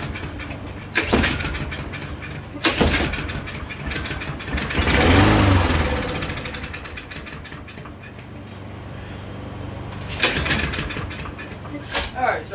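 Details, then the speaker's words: Yard Machines lawnmower that would not run, has compression, owner suspects valve adjustment: repeated pulls catch briefly on starting spray then die, carburetor not delivering fuel; center portion of carb removed and cleaned. "i don't know if you remember me saying that this center portion of the carburetor comes out for cleaning"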